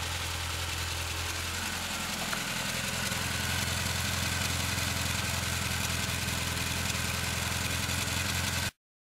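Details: 1974 Morris Mini, 1400cc MiniSport short engine, about 10 miles, fresh oil but stale fuel, first start in seven years with some choke: loud, slightly uneven wavering idle; running rough, more work needed.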